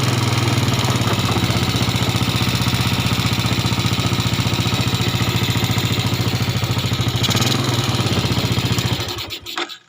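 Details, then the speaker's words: Yamaha Jupiter (Robot/Salib) before repair, after an earlier rebuild with a replaced block: rough, uneven, harsh idle before shutdown. It reportedly gets rougher when hot and smokes lightly. "itu suaranya sangat lumayan kasar Ketika nanti mesin panas juga makin kasar atau motor juga ngebul tipis"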